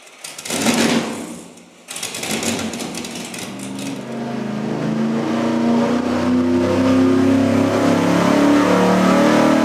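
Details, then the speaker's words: V8 on an engine dyno with a cheap vacuum-secondary carburetor run straight out of the box at wide-open throttle: steady roar that surges in a regular pulse about four times a second. Rough, pulsing running; the testers say it doesn't sound good. "It doesn't really sound very good. Doesn't sound good. It was almost pulsing like a massage shower head in a hotel room."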